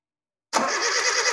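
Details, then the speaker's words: Suzuki Jimny Katana with points (platina) ignition, distributor open while checking for spark and a spark leak: steady even starter cranking with no catching or misses, spark present; normal engine cranking. "Oke, setelah ini terjadi semua bagus, terus baru sampean starter supaya enggak ngabisin setrum tadi sampean starter, Lur."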